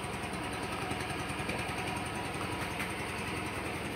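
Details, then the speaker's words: Used Yamaha Grand Filano scooter revved with the exhaust outlet blocked by hand: exhaust pulses still push out firmly and firing stays even, indicating a healthy, original, unmodified engine. "Noh, itu berarti masih ada tembakan ya, tembakan di knalpotnya ya. Nah, kalau misalkan seperti itu, itu terbilang motor masih bagus ya."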